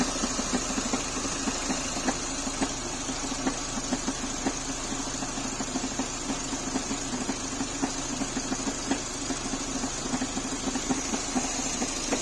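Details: Renault K4M engine at steady idle with a sharp, uneven tapping about twice a second riding over it. An abnormal knock, cause unknown.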